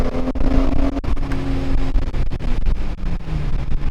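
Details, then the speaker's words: BMW E46 M3 petrol engine, fully warmed up, revving to higher RPM after alternator replacement for a red battery light: deep, even note with no high-pitched squealing whine, confirming the whine came from the old alternator. "Yeah, it's a lot better. You don't hear that like squealing, whiny sound. So I'm pretty sure it was from the old alternator, for sure."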